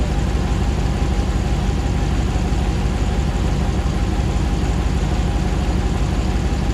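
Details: 2009 Hemi 1500 TRX4 auction truck, first start after months of rebuilding: deep steady V8 idle at about 87 psi oil pressure, settling smoothly while warming, no misses, knocks or jerking as before; normal healthy idle.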